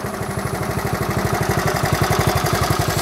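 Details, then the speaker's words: 1970 Honda Trail 70 single, back running after years parked with gas drained: crisp, even putt-putt about twelve pulses a second, no skips or rattles; owner says it idles perfect, a normal healthy idle. "won't bore you anymore but she does run she idles perfect Wright's work good just a fun little bike"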